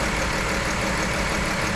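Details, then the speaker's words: 2011 Chrysler Town & Country 3.6 L Pentastar, overheated after heater core hose blew; rough, shaking misfire at idle with steam appearing as coolant is refilled, coolant entering cylinders through blown head gasket/warped head, misfire worsening. "we got a misfire uh-oh okay f it on up oh yeah it's misfiring look at that we got some steam coming out of somewhere"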